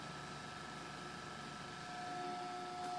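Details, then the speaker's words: Fan motor humming on a 1100 W modified sine wave inverter; a quiet, steady electrical buzz over the fan's whir, meaning the motor runs inefficiently, hot and draws more power; on a 300 W pure sine wave inverter it runs smooth without hum. "humming sound and it means the motor is running like super inefficiently it's kind of it runs hot it's using more power than if you would use the pure S Wave"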